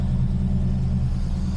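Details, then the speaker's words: TVR Griffith 500 Rover V8 with new fuel, after a bad coil wire connection was fixed, just started: smooth, deep, even burble with no misses or stumbles; running on all cylinders at idle. "that was really instantaneous ous and it really does feel like we have all cylinders"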